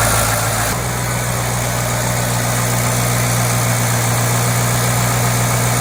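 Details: 2008 Ford Mustang GT convertible, cold idle after an oil change from dirty 6,000-mile oil with a cheap filter to synthetic Pennzoil Platinum; even, steady low rumble with no ticking or knocking, engine sounds healthy.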